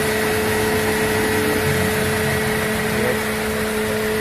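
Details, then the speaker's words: Mercedes C200 idling after a new power steering pump was fitted to cure a growling bearing and heavy steering: steady faint tone, no groaning or grinding; steering light and normal. "Ini sudah halus, sudah lagi sudah ada suara-suara bunyi lagi guys. Aman guys, sudah mantap."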